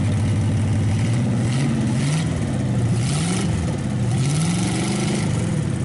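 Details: Packard 374 cu in V8 at even idle with smooth low beat, gentle rise and fall, after crankcase drain and carburetor cleaning on a small overhead tank: no skipping, all 8 cylinders firing; oil in intake still smoking. Normal idle.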